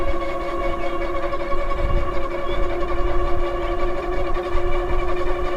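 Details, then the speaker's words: LUCKEEP M5 MAX moped-style e-bike at about 19% battery (45.9 V), full throttle in pedal assist 5, climbing a modest hill: steady hub motor whine with heavy road rumble and pulsing; the low battery is starving the motor of power. "But when I'm going up a hill right now, and it is struggling. Come on. This wasn't that big of a hill either."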